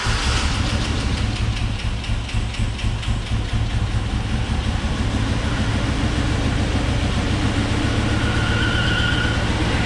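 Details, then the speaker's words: 2002 GMC 2500 HD, 6.0L V8, 4WD, first start after auction purchase: heavy lumpy idle with dropped pulses, definitely misfiring and running rough; owner suspects clogged or stuck injectors. Good oil pressure, runs well enough to move. "but how about that definitely got a misfire if I were a petting man i' bet that it's got some either cloth or stuck injectors in city but guys it runs"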